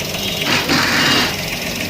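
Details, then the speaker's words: Maruti Alto 800 after replacing the noisy clutch bearing in the gearbox, foot on clutch: even, fast idle with steady note, no rumble or chatter from clutch area; now silent, normal idle. "જો હવે હું તમને clutch ઉપર પગ રાખીને બતાવું, જો અવાજ એકદમ બંધ થઈ ગયો છે। જે પહેલા ક્લચ ઉપર પગ રાખતા અવાજ આવતો હતો, હવે એકદમ સાયલેન્ટ થઈ ગયું।"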